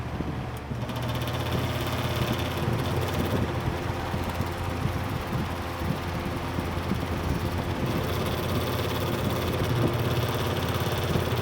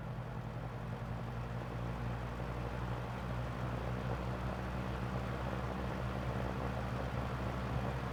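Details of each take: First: Lakewood 200i fan, previously heavily over-oiled, running at medium speed; a steady low whir with a faint rhythmic rattle over the motor hum, then it spins down. The noise is possibly from the rear guard; the source is unconfirmed. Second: Lakewood 200i vintage fan, restored after years of excess oiling sludged the motor, started on low with a possible guard rub: a steady low motor hum and even whoosh of air with no knocks, scrapes or wobble.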